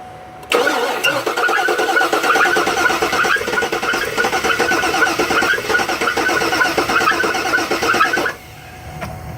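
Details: 2010 Cadillac Escalade ESV 6.2L V8 idling with uneven stumble: cylinder 7 misfire because its valves stop moving once running, despite good fuel, spark and static compression; confirmed by running compression test.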